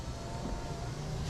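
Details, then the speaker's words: 2003 Jeep Grand Cherokee driver-side power window, key on, before repair: quiet even motor hum, no grinding or binding, soft thump as glass seats; this is how a healthy window motor should sound. "That's about what it should sound like. Don't you agree? I do."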